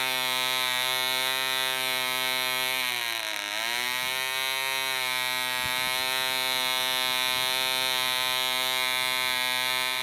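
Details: DC Spitfire 1cc model diesel on an 8x4 prop, D2000 fuel: high buzzing whine briefly sags then recovers, hunting as the loose needle valve rotates with vibration and the compression screw winds itself out.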